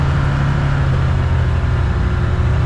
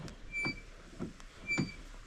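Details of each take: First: 2022 Can-Am Commander 1000R test drive after wheel bearing replacement with a Super ATV Ultra Tough bearing: steady low engine drone at speed. The earlier chattering and screeching is gone; bearing sounds healthy. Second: 2022 Can-Am Commander 1000R with a bad wheel bearing that chatters on the road and has play when rocked: gritty, squeaky creaks about twice a second as the wheel turns slowly, before replacement.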